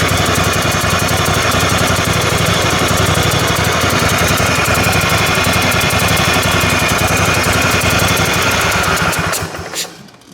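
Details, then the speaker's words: Kohler Command Pro 27hp twin-cylinder mower engine, running on one cylinder after plug fouling, attempting start: sharp rhythmic puffing like an exhaust leak; owner suspects blown head gasket. "it's developed it sounds like an exhaust leak, but I think it's actually coming from the head gasket itself. It's actually blown enough that you could hear it."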